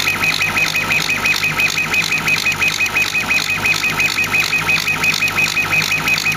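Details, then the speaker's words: Homebuilt CO2 laser cutter engraving: high squeaky pulsing tone about three times a second over a steady hum, normal pulse-width-modulation squeal. "the um squeaking beeping noise that's actually the pulse with modulation of the laser you can actually hear it when it's Plastering the around material it's really quite cool"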